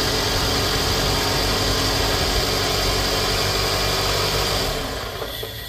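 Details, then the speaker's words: 2008 Scion xB, 352,000 miles, startup idle before oil change and engine flush, with valve cover gasket seepage: quick, even tick about four per second over the hum; noisy valvetrain suspected, not confirmed. "so this is for like the cars with the real loud um valves this right here requiring your car down we're gonna let you hear how loud the engine is before the oil change and then how loud the engine is afterwards when we put this in"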